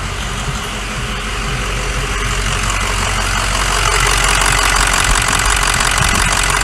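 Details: 2006 Ford F550 Lariat 6.0 Powerstroke diesel, first run: steady idle with regular hard knock about three per second; some smoke, popping from intake, may need valve job.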